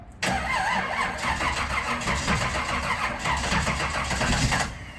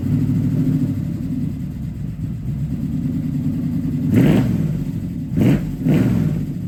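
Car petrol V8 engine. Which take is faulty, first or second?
first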